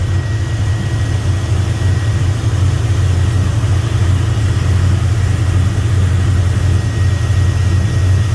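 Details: 1992 Chevrolet C1500 with 2000 5.3 LS swap, reworked standalone harness, after tune: rough V8 idle stumbling about three times a second, misfiring at idle or under load; fuel pressure drops as pumps get hot, lack of fuel suspected.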